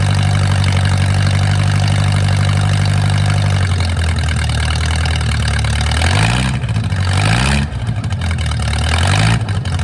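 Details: Mercruiser 470 3.7L marine engine, first run in 16 years after fuel reached the carburetor; steady low idle, then a few clean throttle blips rising and settling back smoothly. Automatic choke not working properly, owner suspects his wiring. Normal idle.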